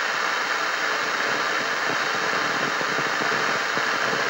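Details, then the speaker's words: Yaesu FT-1000MP transceiver with a 9 V regulator output fluctuating; turning volume up gives loud hiss with random sharp crackles and pops in the speaker. Owner suspects the AF unit or an intermittent short on another board, not confirmed. "now when we turn the volume up on this unit you hear that cracking and that popping in the speaker it's pretty"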